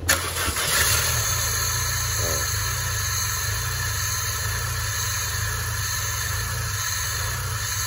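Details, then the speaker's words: Peugeot 406 limping with one cylinder seeming to lack compression, restarted after repair: cranks, catches and settles into a lumpy, uneven idle with a light busy tick; hydraulic lifters not yet filled with oil. "Ayo kita hidupin lagi ya suaranya masih kasar karena hal hanya belum terisi oli"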